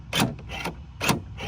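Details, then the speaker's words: 2017 Ford F-150 power tailgate that won't open, latch actuator exposed: four quick buzzing strokes that weaken until it barely moves; weak actuator, fix is replacing it. "this is the actuator so I will hit the button and you'll watch it operate so it does operate but it's weak and if I hit it a bunch of times"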